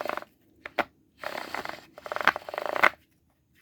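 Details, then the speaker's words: John Deere Ground Force 12V ride-on toy tractor, opened wheel-motor gearbox reassembled without input motor and turned by hand: fast plastic clicking with sharper snaps as teeth jump; gears skipping, one off track. "definitely turning better but it is also still skipping and i don't know if it's skipping oh yeah something's jumped off track at this point i can hear it"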